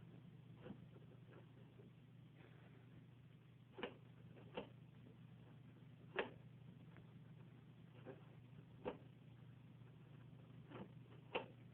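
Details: Basic Rival drip coffee maker about a month old: a quiet hum with sharp irregular clicks while brewing. The noise was louder when new, and the owner guesses it comes from a spring.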